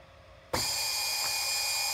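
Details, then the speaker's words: AmpFlow A28-400-F48 fan-cooled 48 V motor, unloaded on lithium packs at 53 V drawing about 4.1–4.3 A, estimated over 6,000 rpm: spins up sharply to a steady clean high whine, no knocks or grinding; healthy no-load running. "got four point three amps 53 volts I cannot tell what it's spinning at various over 6,000 rpm"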